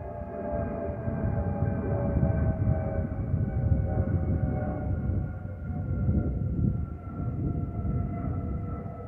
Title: Delta Airlines Airbus A320-211 N331NW DL2057 MYR-DTW (FOPP whistling sound)